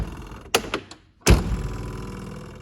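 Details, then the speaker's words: 1964 Ferrari 250 Lusso passenger door closing: hollow thunk followed by short buzzy rattle; something loose inside the door needs securing or insulating. "what is that noise so i i that's pretty annoying to me i would want that boring noise every time i close the passenger door something inside the door is loose and just needs to be secured or or insulated so it doesn't do that"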